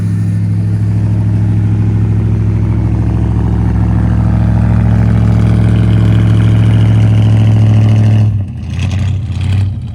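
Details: 1979 Ford Fairmont two-door police car running from its tank on five gallons of fresh fuel: a deep, even idle rumble with a steady low hum and no knocks or misses, holding smoothly until shut off.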